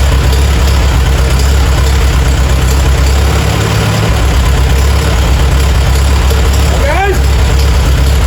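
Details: Farmall A tractor revived after 10+ years idle (new radiator, fan, belts, hoses); steady, even low thump with no knocks or stumbles; normal idle.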